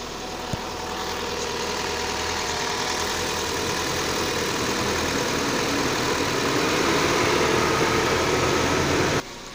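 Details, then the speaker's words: Opel/Chevrolet-type car engine (Mokka, Cruz, Orlando, Astra, Zafira coil) after DIY ignition coil repair, fitted without shields, warming up. Steady, even idle hum with no misfire stumble or shaking, where it previously vibrated: normal idle. "ну пока он работает ровно его даже не трусит"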